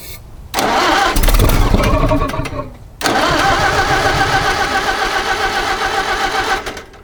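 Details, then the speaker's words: 1961 Oliver 550 tractor with Marvel Schebler carb, in neutral with choke and a little throttle: short cranking, then a ragged run of a few seconds that fades and dies. It runs only on sprayed ether, so stale fuel is starving it. "all right so uh hang on so I think we're probably going to pull the carburetor back off obviously if you give it an external source of fuel if you just keep spraying it with ether it stays running"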